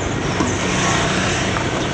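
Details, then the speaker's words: 2008 Suzuki Swift on a rough-road test drive after front suspension, steering rack and driveshaft service: steady road rumble with no clunks, the earlier jingling rattle (clearly heard with windows open) is gone; suspension and steering sound tight. "sejauh ini sih aman Bang gerincingnya udah enggak ada lagi Ya"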